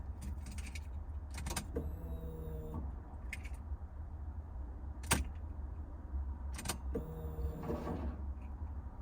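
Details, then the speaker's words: Alfa GTV with fuel pump fitted after motorway power loss, key cycled: two short faint whirring buzzes with clicks around them; pump primes quietly and healthily, fuel reaching the system. "oh that's really quiet wow i can hardly hear that we'll do a few primes even get some fuel into the system really quiet that is gosh sounds good um"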